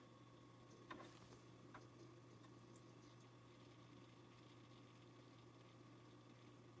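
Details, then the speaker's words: JVC DR-MH30 HDD DVD recorder bought as spares or repair, during power-on initialisation: quiet steady mains hum with faint seek clicks as the hard disk spins up and is accessed, unexpectedly positive; normal hard disk access. "actually accessing the hard disk, I could hear it. That's quite positive. Unexpected for one of these."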